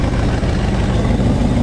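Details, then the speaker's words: 2004 Jeep Grand Cherokee WJ 4.7L V8 first start after head and timing cover work, exhaust unbolted, no coolant; loud, raw open-exhaust idle but even and steady, no bottom-end knocking. "it it sounds okay ish i think obviously sounds like a farm truck but this is the first time i've ever heard this thing run"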